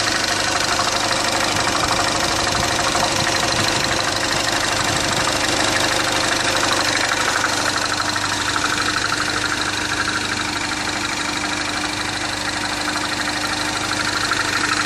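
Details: 2010 Mini Cooper Clubman S (R56) petrol engine, 2.5–3 qt low on oil and then refilled, which cured a metallic cold-start ringing: steady idle with a light regular knock of about three beats a second; timing-chain rattle suspected, rod knock doubted.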